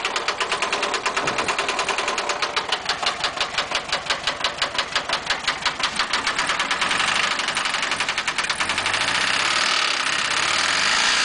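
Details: VW 40hp 1200 engine that otherwise idles fine: loud, regular knocking about three times a second at idle, quickening as revs rise; deep knock from inside the engine, suspected rod knock, not confirmed.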